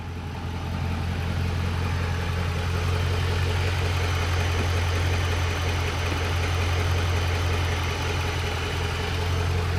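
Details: Truck engine at warm idle after about three minutes of running, hood open: smooth, even low rumble with no ticking from the manifold, unlike the exhaust-leak tick; normal warm idle.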